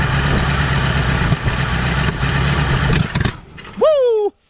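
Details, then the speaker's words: 1984 Ford Thunderbird 5.0 V8 sitting for years, running roughly on fuel poured into the carburetor with throttle applied: a couple of sharp pops as it stumbles and dies. It backfires through the carburetor. "i don't know if y'all caught that that wasn't good she backfired and just about caught my old bottle on fire"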